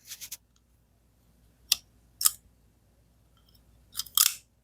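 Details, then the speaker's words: Ruike P801-SF bearing folding knife after a couple years' use: opening and closing gives short crunchy gritty rasps instead of a smooth swing, bearings grinding into the pivot; gritty knife pivot from worn bearings. "hear that grinding? So that is the problem."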